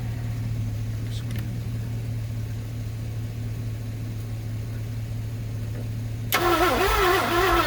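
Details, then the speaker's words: 1967 Thunderbird with a 428, sitting about 30 years and just unstuck: a long steady cranking drone, then a sudden sharp pop and rough chugging as it tries to catch. Possibly a little smoke near the area; the misfire's cause is unknown. "Hear that? The pop, Chug, chug, yeah. Yeah, I did hear it that time."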